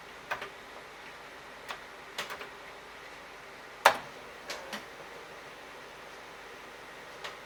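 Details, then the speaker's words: Commodore 1541 disk drive on a Commodore 64, reading old previously written disks: sparse irregular clicks and one sharp clack as head hunts without settling, ending in File Not Found error; failed read, cause suspected, not confirmed. "File not found error. Alright, well, I think I'm going to have to give up."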